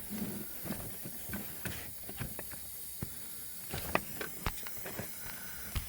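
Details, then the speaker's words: Toyota Solara with very hard brake pedal, check valve removed and vacuum pulled on brake booster with AC vacuum pump: steady faint hiss continues after pump stops, light clicks; booster leaking vacuum, housing possibly leaking or rusted at bottom, unconfirmed. "So there could be a couple different things going on. Housing could be leaking, could be rusted out at the bottom."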